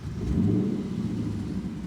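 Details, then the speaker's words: 2017 Lexus GS F V8 with an aftermarket exhaust, just started: deep blip with a loose, fluttering puff in the exhaust note. "I don't know if you heard it, but it's got this weird fluttering noise that's not supposed to be there, guys."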